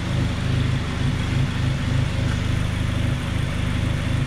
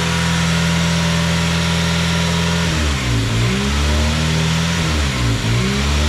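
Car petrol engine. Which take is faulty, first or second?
second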